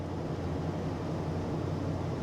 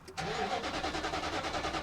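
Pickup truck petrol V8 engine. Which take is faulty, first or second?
second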